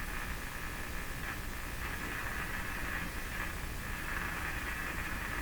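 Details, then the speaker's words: Philips PH202 vacuum tube console AM radio, unplayed for a long time: a steady, even hiss with no clear station; reception very poor at the higher bands. "so reception is very poor at the higher higher bands the higher"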